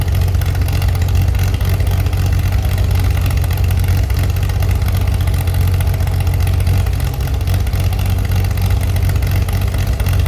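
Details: Chevy SS under restoration, engine restarted after the owner lowered the fuel level to fix a mistake; it has a non-original cam. Deep, even rumble holding steady without stumbles, ticks or knocks: smooth, healthy idle.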